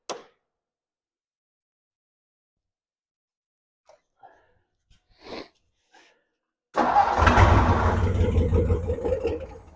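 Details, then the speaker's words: 1957 Ford Thunderbird barn find parked 50-60 years, first start attempt with a bad fuel leak from the carburetor base plate or a bowl: engine catches briefly, uneven and surging, fuel-starved and rough; needs carburetor work, owner will try tightening screws. "I obviously have some carburetor work to do I'm going to try to tighten a couple screws first and see if that fixes the issue"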